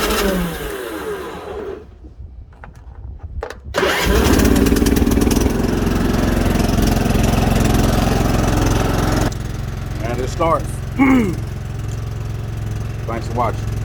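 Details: Husky LT4200 mower after replacing the blown 20 amp side fuse, jump box on the battery: starter churns briefly, engine catches at about four seconds and settles into a steady, even run with no misses or knocks.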